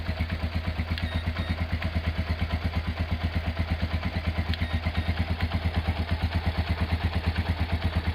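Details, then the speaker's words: Honda GL100 single-cylinder engine, year uncertain, possibly 2000–2002, after full rebuild with Aspira piston and rings, CDI ignition, valve clearance 0.10; even steady thumping idle with regular beats, no ticking or knocking, smooth and healthy. "Oke, itu dia hasil peremajaan mesin Honda GL100 ya. Untuk suara mesin halus dan enak ya."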